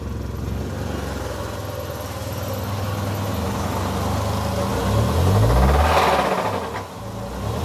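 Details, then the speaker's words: Ford Ka (about 2010) with Zetec RoCam engine, starts normally with injection light on: busy, rattly mechanical clatter at idle and revs; timing chain noise. "boca ali não tá boa não hein deu para escutar aí bora desmontar ver o que que é"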